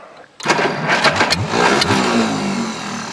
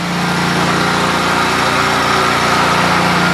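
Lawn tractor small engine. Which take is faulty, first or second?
first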